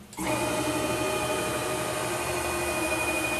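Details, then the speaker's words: PM-940 CNC mill X axis with a new 4.5 Nm (640 oz) closed-loop stepper on 60 VAC, table traversing back and forth at 150 inches per minute: a steady stepper whine with no grinding, skipping or stalling; normal axis motion. "i normally run the tables on these at uh around 100 inches a minute so i got it set right now for 150 and we're gonna run it back and forth"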